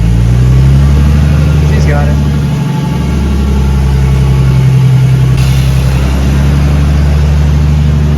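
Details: Big-turbo Nissan R32 Skyline on third start, running a self-adjusted basemap, not yet tuned, in neutral after chasing coolant and power-steering leaks: deep, even idle burble with no misses, knocks or hunting; AFR slightly rich, oil pressure 58; normal idle.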